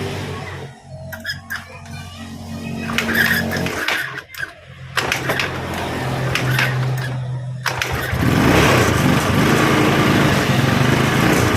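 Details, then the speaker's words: Yamaha Mio Sporty scooter that broke down because it ran out of fuel, restarted after refueling: small engine fires and holds a steady buzzing run with no misfire or stumble; normal running. "contact OK bro, the engine is already on."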